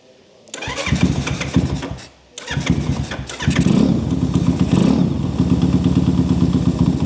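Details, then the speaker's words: Zongshen Z190 engine in a Honda C50 motorcycle catches after a couple of cranks, then settles into a loud, even bark; engine runs healthy, exhaust simply not quiet. "Well, it's not quiet at all. It's really not quiet. I can live with that."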